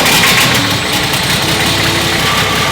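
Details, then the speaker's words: Nissan GQ Patrol diesel running away after first start in 3.5 years, no coolant: loud, harsh clatter holding high and steady despite intake blocked and fuel disconnected; won't shut off, cause unknown. "I've got something flat to cover the intake. I've disconnected the fuel. I have no idea why it's still running."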